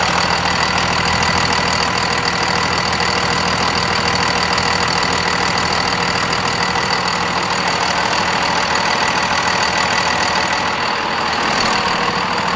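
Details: 2nd Gen Dodge Cummins 24-valve diesel, just after installing an S&B air filter; even diesel clatter at steady idle with no misses, knocks or hunting; engine sounds healthy.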